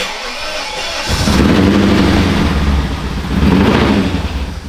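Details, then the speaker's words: BMW E39 540i with M62 V8, first start after repair attempts, with lots of smoke: short crank, then it catches and surges unevenly, revving and sagging with a ragged beat; rough running after start, with a knock-like hit noted afterward. "Oh, a lot of smoke. A lot of smoke. That sounds like terrible. But it started."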